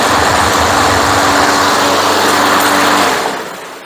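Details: Craftsman Platinum lawn mower after a rebuilt carburetor, new recoil, drive belt and blade: even, steady small-engine drone holding constant speed, then winding down at shutoff; runs clean and healthy.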